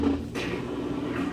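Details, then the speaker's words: Kenmore HE top-load washer in diagnostic mode running the drain pump test: a steady low hum comes up and holds evenly after a light clunk at the start; the drain pump is operating normally. "can hear that pump cycling on. Your three are flashing, indicating that the test is in action."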